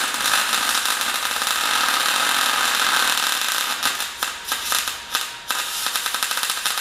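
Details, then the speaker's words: MyMag Mate 150 inverter MIG welder at under half current on a Dyna tow truck project: even steady frying hiss for a few seconds, then crackles; smooth, consistent MIG arc. "As you can hear from that straight away, it's beautiful and consistent. The wide speed self-adjustment is just great."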